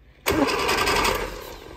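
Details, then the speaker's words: 1967 Austin Mini Cooper S, not started since 2014: short burst of starter cranking in quick even pulses, engine turning over without catching; no fuel pump sound heard, and the fuel filter looks bad. "okay the engine does turn over now let's turn the key and see what happens"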